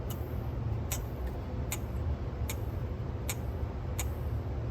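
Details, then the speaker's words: Sony TC-K650ES cassette deck after oiling dry motor bearings and cleaning: low steady hum with a faint tick about every 0.8 seconds, no more whining or screaming, normal quiet running. "i spent like 40 minutes cleaning up now it's nice you see it's not screaming"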